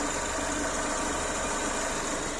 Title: Opel Zafira nasazlığı #Opel Zafira misfires